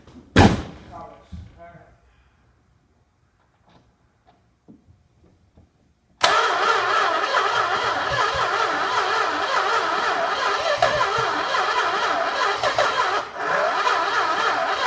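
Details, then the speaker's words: 1967 Chrysler Newport cranks steadily but won't start, backfiring big flame out the carburetor despite timing set, plug wires checked, new spark plugs, new manifold and rebuilt distributor; battery getting low; cause unknown. "basically it just backfires right out the carburetor big flame but it won't we were for sure that I was gonna start but it won't"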